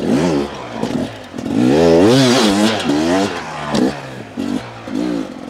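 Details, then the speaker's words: 2023 Beta 250 RR two-stroke riding: crisp rise and fall with each throttle blip, no bogging or stumble; very consistent smooth power delivery. "you can hear even when I input power it has a very consistent smooth"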